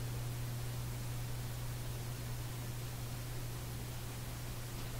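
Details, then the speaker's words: Canadian General Electric A55Z vintage radio during capacitor replacement: a deep, steady, pounding low hum under faint hiss, cause not yet found; mains hum. "oh here the hum it's a pounding hum just listening to the"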